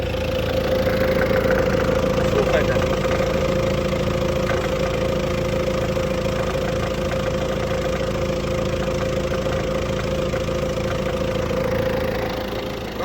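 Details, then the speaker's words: MTZ tractor diesel idling in the field with a cultivator: steady regular knock about three to four a second over a humming drone; operator unsure whether it's the pump or engine. "[ __ ] оце ще в МТЗоні щось стукає. Слухайте, скоро, [ __ ] заклине, наверно. Послухайте, як він стукає. Чи це насос, чи що це?"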